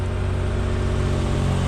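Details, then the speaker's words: 1995 Subaru Domingo micro camper, off the road about 12 years, idling: loud, raspy, unmuffled low drone; exhaust is worn out and blowing, new exhaust needed. "yeah so I think the exhaust has had a same better days hasn't it a pump there as well that exhaust sped new one I don't know you can hear me because of the noise of it so new exhaust"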